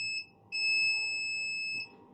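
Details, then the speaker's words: Laptop motherboard: at the capacitors by the startup controller, the multimeter gives a short beep then a long continuous tone. Zero ohms to ground shows the 3.3 V rail shorted after the second MOSFET. "zero again so clearly we do have a shot our 3.3 is shorted and that is the reason why we don't have we have short to ground after the second mosfet"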